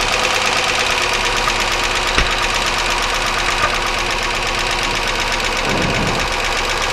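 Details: 1999 Chevy Malibu 3100 V6 idling during cylinder drop test: fast steady ticking knock over idle, unchanged when plug wires are pulled one by one (one plug wire found arcing); internal engine knock, source still unknown.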